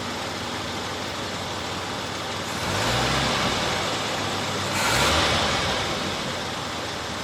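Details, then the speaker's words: Jeep CJ 258 six-cylinder with Weber carburetor and revised vacuum lines, fully warmed up after a drive, EGR valve plunger moving: steady, even run with gentle swells and no popping or misfire; only slight popping when cold. "up see my EGR valve the plun is moving in and out it's nice and nice and hot did did do a little topping here and there when it was cold the engine was cold but nothing like it normally does"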